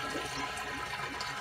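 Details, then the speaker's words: Reef aquarium with a Jebao DCT 15,000 return pump: constant rushing gurgle like a flushing toilet as the emergency overflow drain works overtime with excess return flow, before upgrading the 1.25-inch drains to 2-inch PVC. "the pervy emergency things are working overtime"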